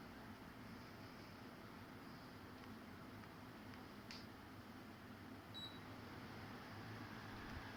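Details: Fujitsu ASYG24 KLCA indoor unit No. 2, fan on level 3 Medium: smooth airflow hiss with soft, even low hum, no rattles or ticks; normal fan running.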